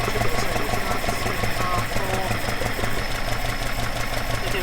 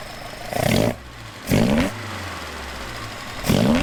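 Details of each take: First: Alfa Romeo 105 GTV with twin Dellorto/Weber carburettors at idle before balancing: low, lumpy, rough idle with uneven beat and vibration; carbs unsynchronized, airflow gauge reading four on one and two on the other. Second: Alfa Romeo 105 GTV with twin Weber/Dellorto carburettors after synchronisation balance: even steady idle, slightly lowered, between three quick throttle blips rising and falling cleanly; smoother, less vibration than before balancing.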